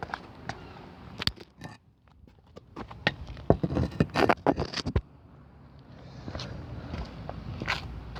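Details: Mercedes-Benz 190E: irregular dry creaks and scrapes, several a second, from the front suspension; the owner suspects the lower balljoint near the front left tyre, cause not confirmed.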